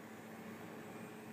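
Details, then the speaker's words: New Dynatron CPU cooler with a ball bearing fan, replacing a cheap cooler whose fan whined, PC just switched on: soft, even hiss of air with no whine or ticking; much quieter, fan healthy. "there's no noise coming from that and even when it gets loud it's not ridiculously well it's not ridiculous it's pretty good actually not bad at all"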